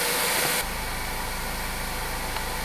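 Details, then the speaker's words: 2013 Ford Focus after repairing no-acceleration fault (codes P2127/P060D): engine picks up cleanly to strong even roar on throttle, no stumble or hesitation; normal revving, no more misfire. "no more misfire it sounds good yeah all right say you want to step on the gas whoa be careful sound Jeff step on it nice"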